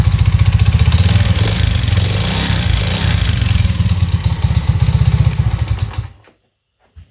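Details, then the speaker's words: Alpha Delta Vento 110cc moped engine recently rebuilt from 70cc to 110cc with a cheap Chinese piston kit: loud, fast, uneven metallic clatter at idle, seemingly worse than when first assembled; suspected piston slap, to be replaced with original piston. "очень сильно бренчит и такое ощущение что до этого он бренчал меньше когда я только собрал его"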